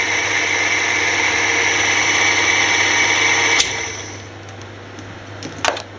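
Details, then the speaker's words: Older drill press with its motor lowered for proper shaft height and a slightly short belt: steady high whirring hum with a faint rhythmic rasp on spin-up, then winding down; owner suspects the noise comes from the shaft, and the top pulley is shaky. "don't know why it has this noise when it comes up but I guess it's from the axle in the thing"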